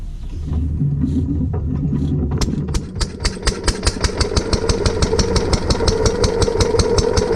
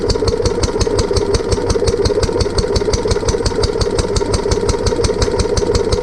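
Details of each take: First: Lister D petrol barn-find engine on trolley with air compressor, after remounting, fixing fuel leak and new spark plug: a few pulls, then catches into an even, steady single-cylinder putter at about two and a half beats a second; healthy. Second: Barn-find Lister D petrol engine on a trolley with an Aerograph compressor, remounted after first start-up with fuel leak fixed and new plug: steady single-cylinder thump about five beats a second, engine shaking partly because the new coach mounting bolts aren't sitting well.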